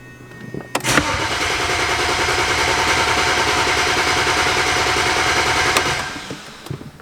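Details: Flooded BMW 135i, about 11,000 claimed miles, sat in a junkyard eight years; injectors coded to a new ECU and battery registered. Starter spins the engine at an even, fast chug for about five seconds but it never fires: crank-no-start.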